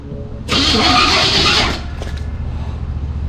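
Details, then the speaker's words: 1973 Chevy K5 Blazer with SM465 transmission, started in neutral: a harsh, gritty grind rides over the starter and catch, then dies into a lumpy idle. Something, perhaps the fork, is touching and grabbing the clutch; cause unconfirmed. "That deal is touching the clutch, What is? the either the fork or the. Yeah, you can feel it grabbing."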